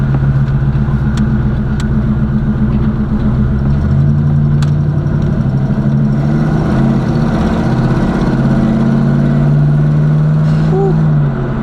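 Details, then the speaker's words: Chevrolet Caprice box Chevy, small block V8, loud exhaust: deep even rumble at idle with a brief throttle blip, smooth rhythm, no misses; healthy engine, owner says it sounds mean but is very slow. "car sounds so mean y'all I'm telling you it sounds so mean but it's it's just so slow"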